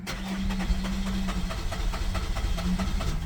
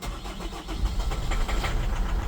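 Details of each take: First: Holden Captiva 2.2 diesel, no start after EGR replacement: long crank at about six pulses a second, nearly catching but never firing while the fuel system is bled; full of air in the fuel, later starts with throttle. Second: Holden Captiva 2.2 diesel that would not restart after EGR replacement (knocked, pinged, stalled; fuel system likely full of air): starter churns briefly, engine catches and settles into steady low idle, clean start without misfire.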